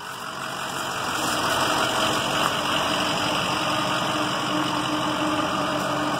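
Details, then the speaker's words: 2007 EarthRoamer at idle: steady rumble with a faint constant high whine on top. The whine is the diesel heater warming the interior, running normally. "You might hear a little bit of a whining noise. That's actually the diesel heater."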